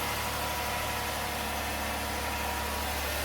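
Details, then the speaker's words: 2009 Chevrolet Impala 3.5 V6, a salvage-auction car, idling after first start with a battery check: even, steady low drone with no ticking, knocking or hunting; runs good. "I got dingage. Yeah, she runs good too."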